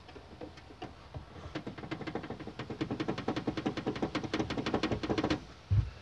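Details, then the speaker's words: Nissan Versa rattle behind the rear seat: the loose plastic strap spanning the trunk, shaken by hand, gives quick hollow clacks about twice a second. "é essa cinta aqui pessoal à cinta de plástico aqui ó que vai de um canto a outro tá ok ela faz só"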